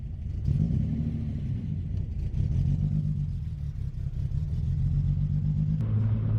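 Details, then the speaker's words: BMW E30 project car on first test drive after drivetrain, polyurethane transmission mount, driveshaft and wiring reinstalled, no hood: loud raspy low rumble with rough puffing under throttle; exhaust not fully fitted, big exhaust leak. "Thing's a bit loud. Oh, yeah. God damn. Okay, the exhaust is definitely not all the way on."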